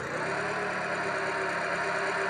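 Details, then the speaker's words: Four-cylinder engine after cylinder balance test found cylinder four misfiring and its ignition coil was replaced: smooth even idle with steady hum, no stumble or skipped beats; normal idle, misfire resolved. "sounds better let's give it a little gas oh our misfires uh resolved okay"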